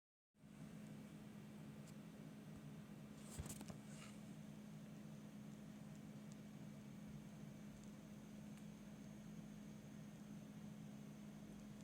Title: My PC, but CPU fan is noisy after it's been restarted again.